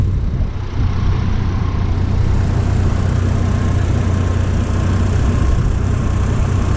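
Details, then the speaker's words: 2003 Chevy Trailblazer LTZ 4.2 I6 idling, following gasket, plug and coil repair for P0305 misfire: deep steady rumble, no chirp; the cricket-like idle chirp is gone, traced to the alternator (belt change didn't fix it, new alternator did). "doesn't have that cricket sound anymore it sounded like a cricket when it was idling turns out that was the alternator"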